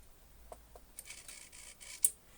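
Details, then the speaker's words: Model railway turnout servo slowed by Arduino code, one crossover pair moving: very quiet whirr in four or five short bursts instead of a smooth sweep, points moving in steps; owner suspects busy Arduino loop (quarter-second CMRI processing) causes it. "it's still not smooth I can hear the Brakes in it it kind of moves in chunks and I guess that's just because the Arduino is actually busy and sometimes Loops run more slowly than others"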